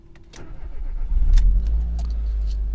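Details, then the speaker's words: Car running E85 via ethanol conversion box, cold engine on a 22°C heatwave morning; box wrongly in warm mode: cranks and fires quickly, then revs stutter unevenly before settling, a stumble after starting. "quand on démarre, bon ça démarre bien, mais voilà. On a un petit cafouillage au départ. La voiture elle est un peu paumée parce qu'en fait le moteur il est pas chaud."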